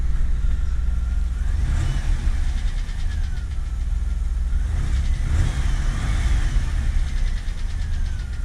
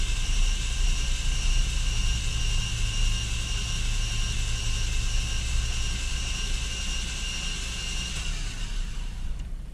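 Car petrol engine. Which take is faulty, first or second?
first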